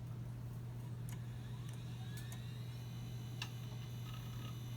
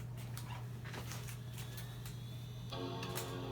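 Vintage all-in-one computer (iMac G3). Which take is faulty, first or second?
first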